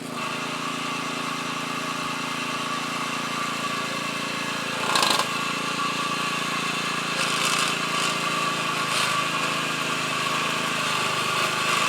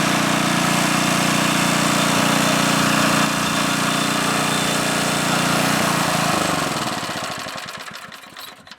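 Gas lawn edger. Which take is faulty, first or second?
second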